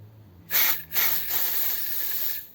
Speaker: can you hear it's just there's like a really restricted sound in like a really restricted sound in air delivery